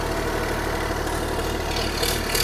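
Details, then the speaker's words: Small excavator diesel engine, restarted after sitting neglected, at steady even low idle with a smooth beat and no knocks or misses. The engine sounds good, but the throttle and hydraulics don't work, possibly due to a safety switch. "throttle don't work but man the engine sounds good dude"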